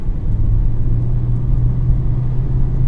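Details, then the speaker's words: Renault Megane 4 on 205/55 R16 tyres, recorded in the cabin while cruising with all windows closed: steady, deep droning rumble with no rhythm; excessive road noise getting into the cabin. "sesini susturuyor. İçeri bayağı geliyor ya. Tüm camlarım kapalıyken geliyor bir de abi."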